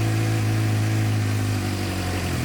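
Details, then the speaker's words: 2006-2007 Suzuki GSX-R 600 four-cylinder warming up: steady even idle with smooth low drone, no misses or knocks; sounds much better, though clogged injectors still suspected. "that sounds way better already so let's let it warm up for a second we'll let her warm up it sounds way better already"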